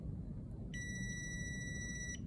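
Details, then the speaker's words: Relay tested off the car with the coil powered on 85/86: a steady high meter beep shows continuity between 30 and 87 through the closed switch, gone when switched off. The relay works properly. "so I do have the continuity between 87 and 30 because code is creating the magnetic field and closing the switch"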